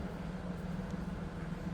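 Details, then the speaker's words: 2000 Pontiac Firebird T-top with 3.8 liter engine, heard idling from the rear at the exhaust: low, steady rumble with an even beat and no misses, ticks or rattles; normal idle. "Nothing too crazy, of course, for that 3.8 liter."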